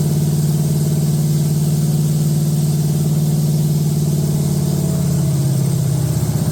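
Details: Date-coded 1969 383 HP Super Commando V8, freshly swapped into a 1969 Plymouth Road Runner from a Barracuda, run with good oil pressure and no tach: deep, steady fast idle with an even beat and no clatter. Sounds healthy.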